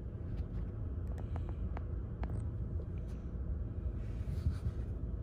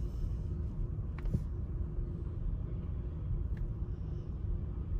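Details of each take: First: 2019 Chevy Equinox 1.5 L automatic after replacing all four: steady, smooth idle with no stumbling or stuttering. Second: 2019 Chevy Equinox 1.5 L automatic, check-engine and traction lights, running rough and shaking at idle with rpm jumping: uneven stumbling beat; P0300, current misfire on cylinder 4.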